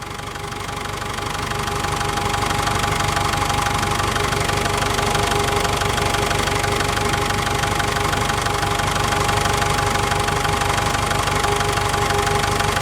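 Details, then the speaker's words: ASV PT-100 compact track loader diesel after electric fuel lift pump replacement: even, steady diesel clatter at settled idle with no misses or surging; revs well and restarts without glow plugs, normal idle. "seems to be idling fairly well I'm gonna go ahead and rev it up a little bit and see what it sounds like that runs out well I think that sounds great"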